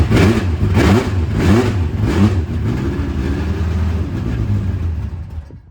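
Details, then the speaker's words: Late-1980s IMSA GTO Gen 3 Camaro race car at first start after arriving in the UK, both fuel pumps on with fuel pressure; engine catches after uneven pulses, then settles into a steady deep rumble, sounding like good compression, a good sign. "Oh, that's good. That is That's good. a good sign, you know? It sounds like compression."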